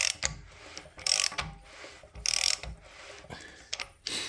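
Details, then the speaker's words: LS3 4-inch stroker crank turned by hand with a ratchet in a trial-fitted F-body oil pan, no gasket: ratchet clicks, then a dull clunk about once a second as the crank contacts the pan before it is ground for clearance. "Then turn it over with a ratchet. And when you turn it over, before you grind it, you're gonna hear it clunk as you turn it. Gonna keep going, you're gonna hear a clunk."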